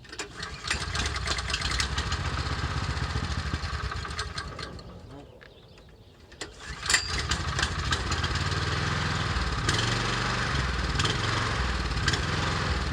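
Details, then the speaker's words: Ariens Rocket RT 8020 rototiller fitted with a genuine Honda engine replacing its 13hp GX390 clone, being test run; single-cylinder thump rises and falls in steps instead of holding steady revs; engine hunting and surging. "that'll be a whole nother section or video of how to fix that surgeon"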